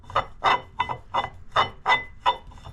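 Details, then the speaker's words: Jet ski jet pump with new impeller fitted, pump shaft turned: rhythmic scraping rasp about three times a second; wear rings swollen but suspected cause is a rough, poorly maintained jet pump bearing. "my wear Rings got some swelling in it but it's actually the bearing in the jet"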